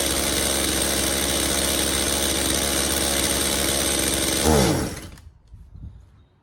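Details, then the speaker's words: Stihl MS180C chainsaw, long unused, new spark plug, before carb repair: runs steadily then swells briefly and dies when given full throttle; stalling under full throttle, suspected worn carburetor metering diaphragm. "all right so it does start and run uh however once I gave a Full Throttle it would just shut off so almost definite we need to dig into the carburetor"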